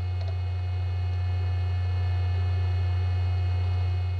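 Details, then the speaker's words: 25-year-old SyQuest SparQ cartridge drive reading data over the parallel port, microphone right at the drive: strong low buzzing throb with a thin high whine above, much more vibration than a regular hard drive; possibly normal or a sign of imminent failure. "I'll try putting my microphone right up to this drive so you can hear how it sounds and I hope you'll be able to hear the vibration and maybe some high frequency wine and maybe some of the the read head sounds from"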